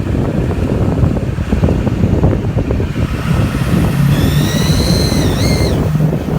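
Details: Duramax diesel: deep rumble under wind, then a thin high squeal rising in pitch for about two seconds; cause unknown.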